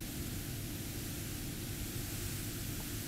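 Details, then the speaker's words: Studio monitor speaker powered from a battery supply instead of mains, in mute mode, about 100 microvolts across the tweeter. Constant, even soft white-noise hiss with no hum or crackle, slightly reduced but still plainly audible. "to my ear it's still the same type of white noise it's a little bit lower but not by a huge amount still there you can still hear it but it has it has reduced"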